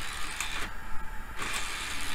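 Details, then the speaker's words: DVD drive in an old late-1990s Dell system: two short whirring motor bursts about a second apart as the tray tries to shut, then drives back out. The tray won't stay closed; the owner suspects the tray-closed detection switch. "sounds terrible but it's working interesting it doesn't stay closed"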